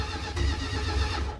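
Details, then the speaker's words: 1978 Dodge Adventurer, long-sitting with pack-rat damage and the carb loose or disturbed, cranks over: a short burst of low, even pulses from the gear-reduction starter spinning the engine cleanly. The starter is normal, and it barks right off, so spark is present. "Typical Dodge starter sound. I mean, it barks right off, so we got spark. That's a good sign."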